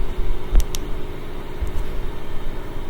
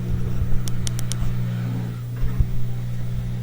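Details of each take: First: LG washing machine with an LE error, after replacing the rotor Hall sensor; it only quivered before: steady low drum rumble at the highest spin speed with no knocking or scraping; normal high-speed spin. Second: LG washing machine showing LE error on spin cycle with water inside: low electrical hum with faint clicks and a shake as motor kicks in, drum never spins; faulty rotor Hall sensor or its wiring.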